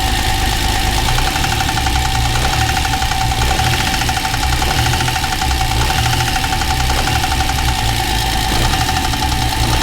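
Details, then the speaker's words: TVR Tuscan at steady idle after throttle-body balancing and a throttle return spring preload increase: fast, even light tapping pointing to the cylinder head rather than the bottom end; owner suspects a top-end fault in the middle, likely needing the head off. "Uh but the noise is not still sounds top end."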